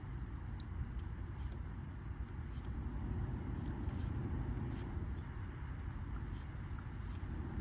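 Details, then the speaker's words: 2013 VW Tiguan with a faulty fan speed control, after the repair install. The cabin blower on low gives a soft, steady whoosh with no ticking, rattling or squeal: normal operation. "All right, I can hear the fan on low."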